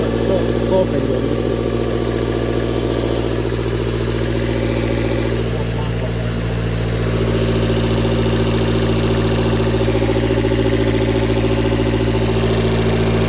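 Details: Toyota 4A-FE engine knock at idle: a steady hum with a faint regular tapping, about three to four per second. The owner feels it is the camshaft or the valves, but the source is unconfirmed.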